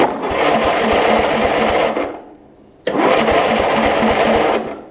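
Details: Lowe's riding mower, just converted from a motorcycle to a lawn and garden battery: two two-second bursts of whirring with even chugging pulses as the starter spins the engine over; solenoid clicks, starter and solenoid working fine.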